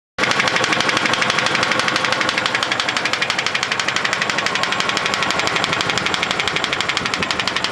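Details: GAZ-24 Volga engine: sharp, bright knocking about three times a second, fairly regular over a thin-running engine; a knock inside the engine, source not identified.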